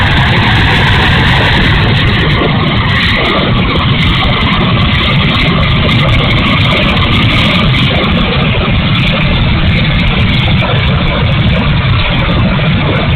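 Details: E-flite A-10 Thunderbolt II RC jet, twin 64mm electric ducted fans: loud rushing roar with a grainy, uneven edge and no clean steady whine; motor sounds bad, rough and noisy, cause unknown.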